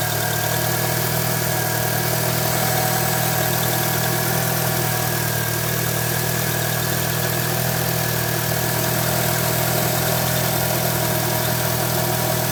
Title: Chirping Noise 98 eclipse gsx